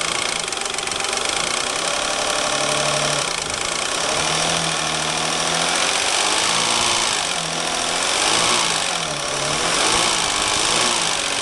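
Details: Peugeot 607 3.0 V6 idling: harsh metallic knock about four times a second, slightly uneven, from the front of the engine near the timing belt area; source unconfirmed.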